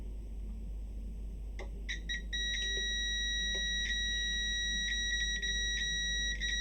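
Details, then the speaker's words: ProFX8 v2 mixer jack socket continuity test: beep cuts in and out in ragged short bursts when pin is moved, internal socket contact breaking, not the solder joint, so resoldering won't fix it. "okay so this one is but that's internal fault you can hear it it's breaking it's breaking so this is an internal fault"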